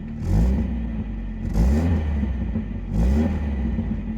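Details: 1989 Volvo 740 GL saloon left in a field for at least 3 years, started straight up with compression confirmed and no coolant in it. Three quick throttle blips rise and fall cleanly over a steady low idle with no knock, miss or rattle. It runs normally.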